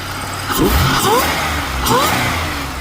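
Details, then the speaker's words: 2004 Chevrolet Impala SS, supercharged, neglected but now running with its leak fixed: two quick throttle blips, each with a clean high whine rising and falling with revs; a healthy supercharger whine. "Let me hear that supercharger one more time. I'm kind of addicted to that."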